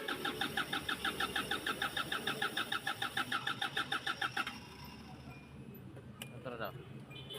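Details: Kia Bongo 3 that won't start on a morning rescue call: steady starter cranking at about three pulses a second for four seconds, never catching. The no-start was traced to faulty injectors 1 and 4.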